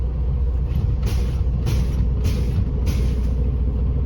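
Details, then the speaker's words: Tractor-trailer, Class A CDL air brake check, diesel idling: brakes fanned down to 90 psi, sharp air hiss bursts about every half second as brakes are pumped to bleed down pressure; normal air brake release. "First, I would fan my brakes down to 90 psi at the examiner's request."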